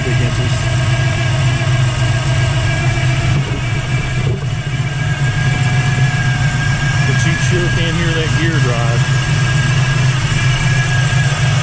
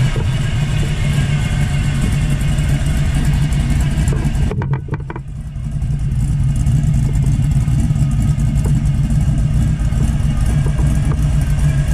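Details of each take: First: 1979 Camaro Z28 with a standard small-block Chevrolet (over 400) and a T-10 Borg Warner 4-speed: steady V8 idle rumble with a constant high whine on top. Whine from the noisy Pete Jackson gear timing drive, which is to be replaced. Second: 1979 Camaro Z28, 400+ cubic-inch small-block Chevrolet V8 with Pete Jackson gear drive, after swapping a Flowmaster 40 series muffler for a quieter Flowmaster FX; even, low burble at idle, steady, no drone or rasp; exhaust quiet and healthy.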